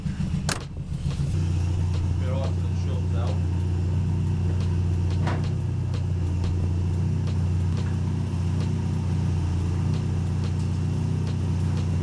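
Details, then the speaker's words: Mark III Ford Escort, jump-started with choke after long storage: deep, loud, steady drone with a raw race-like exhaust note because all the silencer baffles blew out. "yeah all the baffles blew out of it last time all the baffles blew out of it yeah that's why it sounds like a race"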